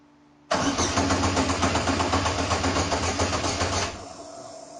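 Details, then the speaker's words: 1972 Triumph GT6 with Ecotec LNF swap, first start on standalone ECU, fuel pump on: steady rapid starter cranking about three seconds without catching; oil pressure rising, may need fuel cycled through. "might need to cycle some fuel through the system so we'll keep trying a few more times"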